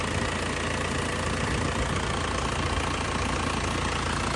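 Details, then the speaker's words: 2002 Isuzu Panther LS diesel, warm idle: steady, even diesel clatter with no shaking, stumble or hunting, characteristic Panther sound; healthy engine with no oil seepage. "Mesinnya tidak goyang masih stabil tidak pincang ya biasanya kalau mesin kurang sehat itu juga pincang ya Nah suaranya masih Ci khasnya banget"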